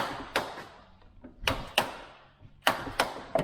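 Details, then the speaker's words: 1996 Jeep Cherokee Sport door check (door closer) has made sharp metallic pops in pairs through its detents, like flexing metal, since purchase. It was already disassembled and cleaned, the cause is unknown to the owner, and reproduction replacements were bought. "hear out pops it almost sounds like you're you're you know like you're flexing a piece of metal until it cracks and it's popping back and forth"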